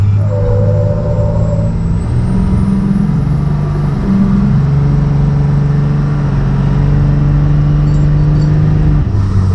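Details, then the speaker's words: 12-valve Cummins diesel truck with compound turbos, warmed up, after long-fought boost leaks finally sealed: boosted launch through the gears reaching about 20 psi, deep steady drone, no hiss or whoosh of escaping boost; sealed, crisp and healthy. "yeah she's feeling pretty good all right folks well uh that is definitely one in the win column i've been fighting boost leaks on this thing forever so nice to have that thing sealed up"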